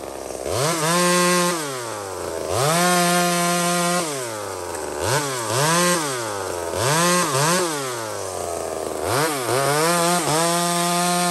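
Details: Small Homelite two-stroke chainsaw on a stock chain (owner says a better chain would cut faster) in maple: it screams to a high steady pitch, bogs slightly each cut and recovers, across several clean cuts. Normal, healthy cutting.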